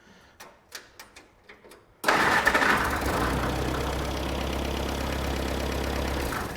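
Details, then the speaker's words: 1946 Jeep CJ2A flatfender with new fuel tank, cooling system not yet sorted: starter cranks a few times, catches cleanly, steady even idle with no misses or knocks; runs well. "Man, that thing runs good."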